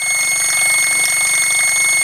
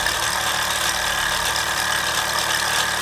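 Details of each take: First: Mamod SR1 steam roller, circa 1965/66, running on rollers under pressure: sharp steady high whistle over quick even chuffing; safety valve blowing off because its seal has failed, to be fixed once cooled. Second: Mamod SR1 steam roller (1963/65, probably 1965/66), aluminium wheels with rubber tyres, running on rollers: steady hiss, fine even chuffing, whistle now pressure tight with no leak; more poke than before; healthy running.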